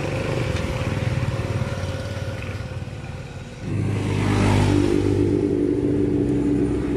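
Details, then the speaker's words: Yamaha Mio i125 scooter: engine flares and hangs at high revs instead of dropping back to idle because the throttle cable sticks and doesn't return; throttle cable to be replaced. "oh antik pa nga ang problema niya guys throttle cable ito papalitan to"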